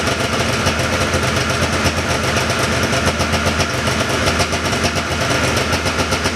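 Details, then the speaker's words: 1979 John Deere Cyclone 340 vintage snowmobile two-stroke, revived by carb cleaning, running without airbox or filter: steady crackly idle with busy, slightly fast even beat that settles; idling pretty good, may need slight adjustment; normal idle. "seems like it's idling pretty good could make a little bit of an adjustment"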